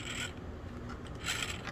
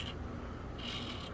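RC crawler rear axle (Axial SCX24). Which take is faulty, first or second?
first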